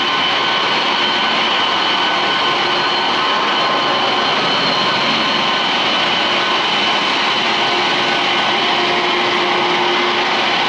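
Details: Chill-plant water pump after the motor was replaced; the old one burnt out from single-phasing, and long-term cavitation had damaged the bronze impeller. Steady even water rush and motor hum with no surging or rattle: normal running.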